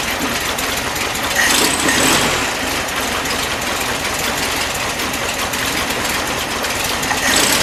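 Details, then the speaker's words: 1973 VW Beetle just fitted with a new carburetor, first start before warm-up: hissy, uneven idle with a wandering beat; owner suspects the jetting is slightly lean and the carb mismatched to the 009 distributor; rough idle. "I think it's running probably a little too lean jet a little too lean but I don't think I want to take that out and read yet it"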